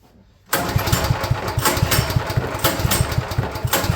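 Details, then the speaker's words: Champion generator sitting at least a couple of years, fresh fuel added, pull-starting: steady rapid chuffing that never catches; turns over but won't fire; spark plug suspected, porcelain possibly cracked. "That seems like a no-go. I'm going to look at that spark plug."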